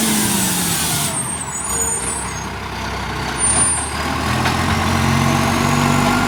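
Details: Acco garbage truck with Bucher body collecting garbage: diesel working with a steady puffing tick about four per second over the engine note and an air brake hiss midway; exhaust leak.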